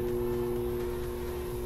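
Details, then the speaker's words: GE/Hotpoint washing machine in diagnostic test mode, water not connected: hot then cold water inlet valve solenoids energized, quiet steady electrical hum, vibration felt; valves working normally. "the hot water side and I can see that humming turn it off and the cold water valve is all three and again I hear the solenoid when I feel it vibrating"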